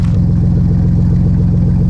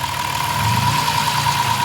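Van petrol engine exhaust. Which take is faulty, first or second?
first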